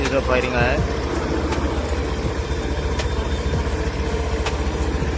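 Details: Honda Activa BS6 scooter started after an engine noise repair with the clutch cover refitted: it fires up and settles into an even, steady idle with no knocking or rattle, and the engine sounds healthy.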